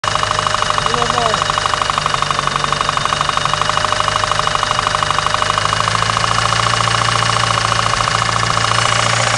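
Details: 1993 Eagle Talon turbo, stock 7-bolt 4G63, idling with a steady deep rapping knock; confirmed spun/worn connecting rod bearing, play found between rod and crankshaft with oil pan removed.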